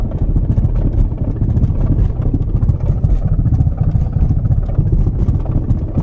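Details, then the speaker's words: 1991 Mercedes 500SL driving about 15 mph: heavy uneven low thumping and slapping under the car; owner believes driveshaft center support, bearing or both have failed; flex disc also checked. "I believe the drive shaft support or bearing or both have gone bad"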